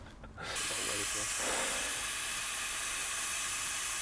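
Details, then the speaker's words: 2004-era? no "this would be really easy if i let the air out the airbag actually i'll just do that do work smarter not harder"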